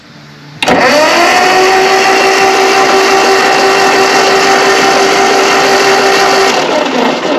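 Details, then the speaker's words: Ford 8N tractor, owned about 3 months, battery on charger after key left on: steady whirring starter cranking in neutral with no catch or firing; plugs watched show absolutely no ignition spark, engine cranks but won't start. "And I see absolutely no spark."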